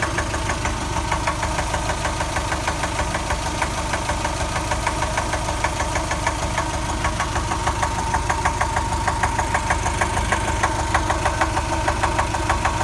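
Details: Subaru 2.5 engine rebuilt from a 2.2, warm idle: steady, even knock about three per second from the driver's side, heard only after warm-up, gone when accelerating and back at idle; bottom-end knock, cause not yet traced.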